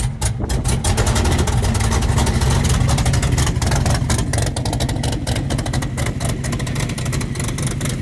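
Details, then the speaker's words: Race engine with broken exhaust header, run after pumping for oil pressure: loud, raw, uneven running with ragged low rumble and sharp exhaust chuffing; header needs welding. "I've heard Demolition Derby cars that sounded better right now but anyway we got a little bit of work to do for our next race just part of it"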